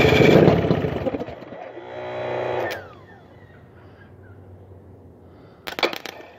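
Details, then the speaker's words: 1981 Evinrude 35 HP two-stroke outboard with the gearcase off and a weak starter, number two spark plug removed to start it on one cylinder. Rough, uneven popping that briefly revs then dies: running on one cylinder. "I popped uh number two spark plug out and started up on one cylinder let's see if it starts again"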